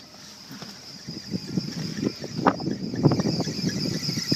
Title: 2001 330i Belt Squeal